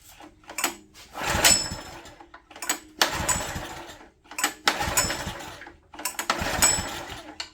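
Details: Old Honda EG1400Z open-frame generator, spark confirmed and compression felt, choke off, possibly on starter fluid: four rope pulls, each a second-long cranking rattle that never fires; no-start, owner then plans to replace the spark plug.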